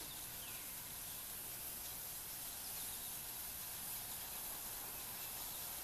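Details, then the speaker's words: Wilesco D-18 tabletop steam engine: boiler reaches working pressure, steady high hiss with faint whistle starting, no knocks or sputter; whistle signals it is ready to run. "you can already hear it start whistling which means it is really ready to go"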